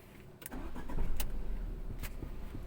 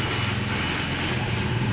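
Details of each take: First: Tata Zest petrol car that had misfired with the malfunction light on and kept stalling, now idling with a steady low rumble and no stumbling or cutting out after a replacement part was fitted. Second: Tata Zest petrol idling with an uneven, stumbling low beat and malfunction light on; scanner shows a cylinder 1 fault, and the misfire comes from the cracked cylinder 1 ignition cord leaking current, which is then replaced.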